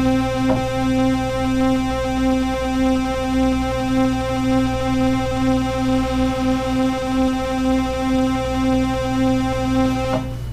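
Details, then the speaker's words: Oberheim OB-8 analog synth: a steady note carries a rhythmic clicking, about two a second, leaking from the square-wave vibrato LFO for oscillator 2 that should be silent. It was fixed by replacing capacitors on the voice board, likely the sample-and-hold tuning circuit. "if i pull this up it switches the wave shape and at the moment we switched it to square hopefully you can hear that clicking and if we change the rate we'll hear the clicking change with it"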